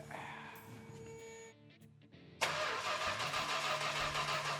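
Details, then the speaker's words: Richard Petty Superbird, V-code 440 six-pack Mopar untouched since last running in the 1970s: quick, even, free cranking with no catching or grinding; engine spins over freely, not yet primed with fuel. "it does crank over Royal what are you looking at fuel yeah why don't we prime it it's free cranked over quick so it should be able to spin enough to get some spark"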